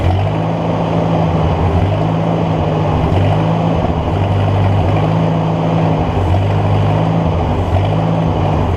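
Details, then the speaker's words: Ford NAA Golden Jubilee tractor (1953/1954), sitting over 20 years, spark restored via battery connection fix: low, uneven chugging sagging and surging every second or two, running only on fuel poured into the intake; owner suspects clogged fuel line, carburetor removed. "runs, as long as I keep spraying fuel into that pipe. I'm guessing my fuel line's clogged up, so let me work on that."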